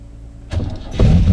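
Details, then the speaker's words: 1984 TVR Wild Wedge 4.0 Rover V8, carburettor without choke and distributor ignition, unused for two months, cold wet January morning; fuel pump hum then catches first crank into even deep idle; normal cold start. "Oh, blimey, how about that? That wasn't bad, was it? Instant, first turn of the key."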